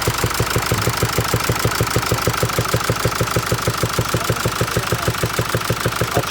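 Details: 2016 Mercedes E-Class diesel with gear-driven (not chain) timing: idles with a sharp, regular knock, a little over three a second.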